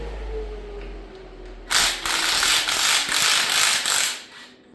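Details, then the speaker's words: Water pump off a 1964 Rambler V8, turned by hand: dry gritty grinding with ratcheting pulse about three times a second; owner suspects sealed bearing rather than plastic fins; rough grinding water pump. "I can't imagine that plastic would be the fins of this water pump. That sounds more like bearings to me."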